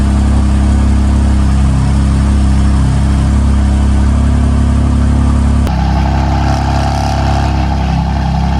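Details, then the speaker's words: BMW M4 S55 cold start after replacing tappet cover to cure PCV whistling; steady deep petrol idle with no whistle or tapping, though a drivetrain error appeared moments later. "car actually sounded fine on cold start, but a few moments later we received the most famous fault on BMWs, which is drivetrain error."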